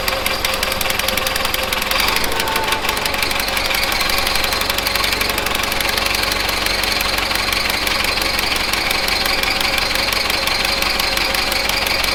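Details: 1970s Bolens QT16 garden tractor, long unused with old gas and gravity-fed fuel to the carburetor: loud, lumpy, uneven petrol running with raspy exhaust, about half choked; rough running, carb needs cleaning out.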